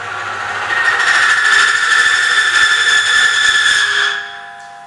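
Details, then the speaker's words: Friction test rig run dry without oil, before Metabond treatment: loud harsh squeal holding under rising load, ammeter jumping off scale, then abrupt cutoff as roller seizes at 5.5 units; dry friction seizure, roller worn. "cinci unități și jumătate s a produs calarea ampermetrul s a dus peste cap zgomot ați auzit"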